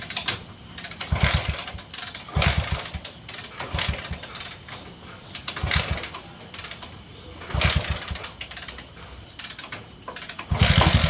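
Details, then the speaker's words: 20-year-old CT 100 before repair: repeated kick-start bursts every couple of seconds fail to catch before it finally fires; hard starting from weak spark at the plug, later fixed by reducing plug gap. "അപ്പോൊ ഇതില് start ആകുന്നുണ്ട് പക്ഷേ ചെറിയൊരു starting trouble ഉണ്ട്"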